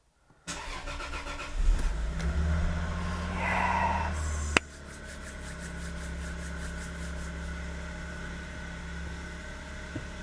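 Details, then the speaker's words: Toyota Soarer with 2JZ engine, neglected 10 years, first start after fuel pump work (FP and B+ linked at diagnostics box, no leaks): short crank, catches straight away, brief rev, then smooth steady idle with no misfire or knock; healthy start. "that's good that's good let's take a look around it sounds good oh yes that is glorious"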